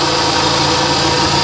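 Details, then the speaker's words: Salvage-auction vehicle running with a wet back of the engine and the alternator charging. Over a steady idle there is a loud, hissy whir from the accessory drive; loud accessory noise, suspected idler or tensioner pulley, not confirmed. "Okay, so there's an accessory over here making a ton of noise. That's for sure. Hopefully it's an accessory."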